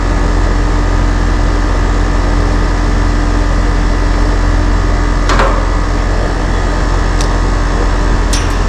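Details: About 2-year-old AC condenser, compressor in a good range against its 25 A rating: steady low hum, even fan whoosh, no clicks or rattles; condenser fan motor reading about 1.09 A, running normally.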